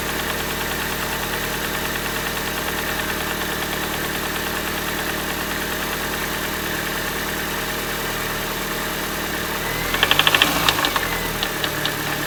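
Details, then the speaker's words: 2006 R53 Mini Cooper S at cold start: uneven light ticking rattle over idle with a louder clatter burst, from the engine front, fading then returning on restart; owner suspects a pulley, not confirmed. "okay so just now when i started it the first time you know it made the noise at first but then it went away and i was like okay that's that's pretty weird"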